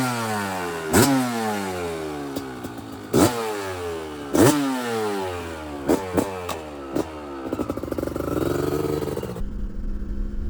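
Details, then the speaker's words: Kawasaki KDX 200 two-stroke breaking in after a new piston, ridden with blips and then shifted through the gears toward wide open throttle. Crisp, clean pulls: normal running. "and then he's going to get on it a little bit and shift through the gears and let it get to wide open a little bit so you can hear what this thing sounds like"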